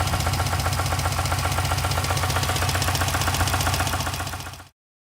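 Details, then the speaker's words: Subaru WRX STI engine that began knocking at about 3,000 rpm while bleeding coolant; metallic flakes in the oil confirm rod knock: raised-rpm running with a steady, hard metallic knock. Timing tensioner replacement had not cured it. "start it up and you can hear that knock go"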